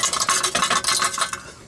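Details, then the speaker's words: 1991 Jeep Wrangler YJ catalytic converter, shaken by hand after removal: loose metallic clinking and jangling in quick bursts as a broken chunk of substrate rattles inside; loose catalytic converter substrate. "there's a chunk of the cat like a burger inside there that's just rattling"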